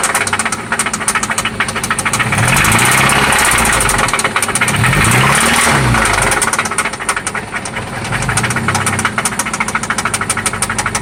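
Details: 1995 Toyota Celica ST after an oil change and spark plug replacement: a firm knock at about three per second that quickens with each throttle blip; it seems to come from one spot, and its cause is unknown.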